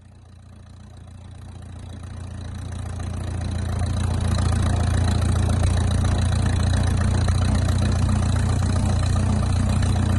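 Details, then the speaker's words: 1951 Farmall M tractor, engine just rebuilt (new sleeves, lapped valves): steady even low idle, regular beat, no knocks or misses; runs well, though coolant leaks at a seam and a head stud. "okay well she runs she runs pretty well"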